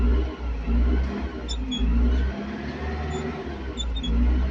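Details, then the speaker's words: Caterpillar TH580 telehandler diesel, full pedal: rumble swells slowly and unevenly in surges, never snapping up; slow throttle response and low power, fix involved a cable tie. "she can hear the engine i put the pedal in our pool but the engine is slowly raised that's the problem"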